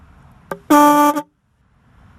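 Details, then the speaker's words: 1979 Chevrolet Caprice horn install (stock A and F plus C and D from a 94-96 Cadillac Fleetwood), horn powered by a switching power supply: one firm steady blast of several clear notes, even and undistorted; horn works properly. "yeah that sounds pretty good"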